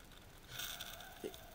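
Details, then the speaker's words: Large Stirling engine, not running, with its flywheel turned by hand: a quiet, short airy hiss rising as it turns, air escaping past an internal gasket; air leak past the gasket. "you can hear here the the air escaping so there's a there's a gasket in there hear that it's Pakistan Air right there"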